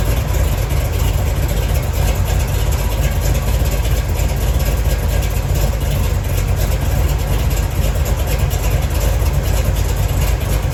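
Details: 1970 Chevy Nova big-block Chevy V8 idling while warming up after replacing the failed water outlet O-ring with a paper gasket and RTV to fix a coolant leak; deep steady rumble, no misses, knocks or ticks, cooling system dry.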